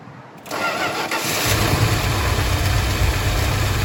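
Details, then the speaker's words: Dodge V8 first started, fed from a fuel jug, engine still cold: it catches quickly and settles to a steady, even, smooth idle with no knocks or misses. The alternator is charging and oil pressure is decent. "people would see this thing and say there's no way in hell that thing runs runs pretty smooth alternator is charging well"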